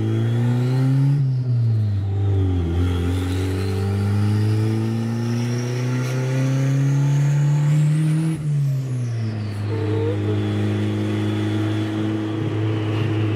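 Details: Turbocharged Honda Civic idling in neutral at about 3,000 rpm: revs hang high instead of settling, rising and sagging between rev swings; owners assume a big leak somewhere and plan to re-tighten all the clamps.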